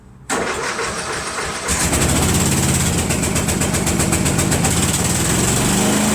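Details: Craftsman Trac Plus 5 HP Tecumseh 23-inch dual-stage snowblower, cold first start of season on year-old gas, fuel shutoff valve leaking: pulls over, catches within a second, steady even single-cylinder chug about four beats a second; normal start and run.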